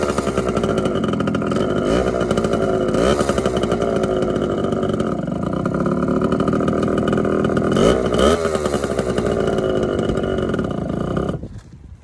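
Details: TC125 two-stroke dirt bike after a carb clean and a new fuel line with filter, on a cold day: crisp buzz climbing and falling cleanly with throttle, no misses or stumbles; pulls strong, normal running.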